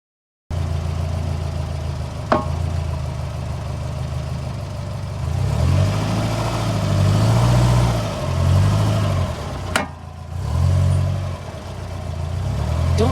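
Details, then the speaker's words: Subaru WRX STI driving: two sharp isolated clunks several seconds apart over steady engine and road hum, coming from the left side of the vehicle; source undetermined. "I noticed that the noise is coming from the left side of the vehicle so I took a video to capture it"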